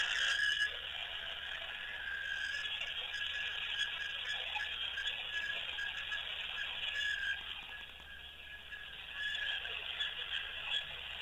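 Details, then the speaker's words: Old Samsung keypad phone switched on after charging, sounding during a call: thin, warbling high chirps repeating about three times a second over faint hiss; cause unknown, owner wonders if it is a glitch. "A weird sound from old Samsung mobile. I don't know what is this."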